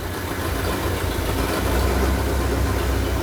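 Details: Suburban undriven since mid-80s, after an engine swap with new exhaust and fuel system, first start: deep steady idle rumble, even beat, no knocking or misses; normal idle.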